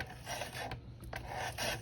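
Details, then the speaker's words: Zero SR electric motorcycle rear wheel spun by hand after wheel install and belt re-tensioning; a rough, repeating scrape that rises and fades each turn; the rear brake is rubbing on the rotor. "that's the brake the brake's rubbing on there"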